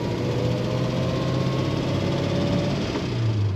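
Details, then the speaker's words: 1935 Pierce-Arrow Model 845 limousine, 385 cu in straight-eight with a three-speed floor manual, driving warm at about 150° with the ammeter charging: an even low exhaust drone under road load, with no popping, ticking or blowing. Very smooth and quiet. "very smooth very quiet exhaust note on this limousine"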